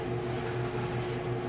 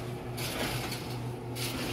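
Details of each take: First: GE dryer after fixing a squeak, running with a steady even motor-and-drum hum and no squeak or rubbing; the tub had been hitting the cabinet edge and was readjusted. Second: GE dryer running: hum with a scraping squeak about once a second, drum hitting the cabinet frame; fixed by pushing and pulling the cabinet corner to realign; worn tub bearing is another common squeak source.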